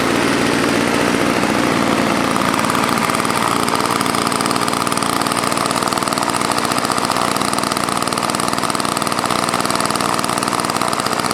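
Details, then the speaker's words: Old Toro snowblower with engine swapped in from another unit, primer function uncertain: buzzy small two-stroke running fast, beat wavering slightly; started and stopped, still finicky after carb refit; uneven running. "um yeah started and stopped um but it still seems kind of finicky yeah it's wicked old"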